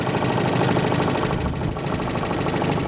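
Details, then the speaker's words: 1958 Johnson CD-15 5.5 hp outboard, restored with new coils, carb kit, fuel lines and impeller; it ticks over at idle, barely moving, with a fast, even putter and no misses, and can do this all day. Normal idle. "they really idle beautifully you can hear this guy just ticking over here or barely even moving and it'll do this pretty much all day"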